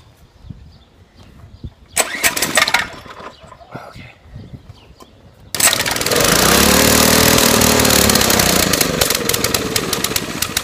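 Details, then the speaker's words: Mini-bike small engine idle 6 years, new gas, good spark plug, starting fluid: a few cranking pulls, then it catches and runs ragged several seconds, revs sagging and sputtering before dying; suspected fuel starvation, air filter to be cleaned. "sponsored by motor medic thrust starting fluid for gas and diesel engines oh it's almost there it wants to live so bad"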